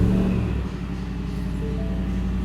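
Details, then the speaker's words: 2017 Shelby F-150, 750 hp supercharged 5.0 Coyote V8, right at cold startup after a new stainless dual 3.5-inch megaphone exhaust; deep, even low rumble, no rasp or popping, not overly obnoxious. Normal exhaust tone after the exhaust rebuild. "So it got a deep tone right at startup, not overly obnoxious."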